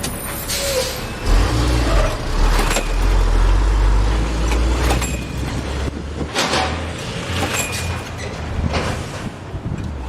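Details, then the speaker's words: Craftsman lawnmower model 917.370430 with plenty of spark: several pull-starts give short rough bursts as the engine coughs and tries to catch but never runs; owner suspects fuel delivery and plans to recheck the carburetor. "try to pull on it a couple more times. It sounds like it's trying to start."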